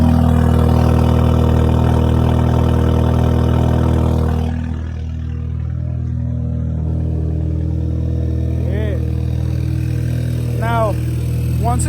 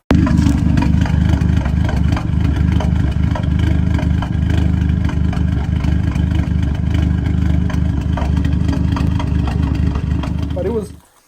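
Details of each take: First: Audi A3 8P 2.0T TFSI after replacing the PCV valve/oil separator: once the revs drop, a steady, even idle with no whistle or hiss. The earlier whistling is gone, though the check engine light is still on. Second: Audi A3 8P 2.0T TFSI with the check engine light on: loud, uneven idle that stumbles, surges and shakes the car, then shuts off. New coils and plugs were already fitted; the owner suspects a failed PCV valve/oil separator.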